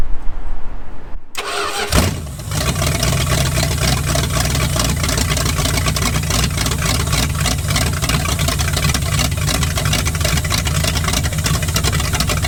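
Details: 1946 Dodge Deluxe V8 swap, running off its own fuel system in snowy cold after the dash pot was fixed, suspected neutral safety switch bypassed: brief cranking, catches, then loud steady lumpy idle through open headers with no misses; now runs.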